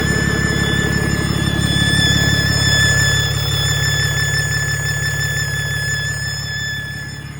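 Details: Deleted Cummins diesel idling with a steady rumble and a constant high, thin whistle; exhaust leak at the EGR connection, which had fallen off.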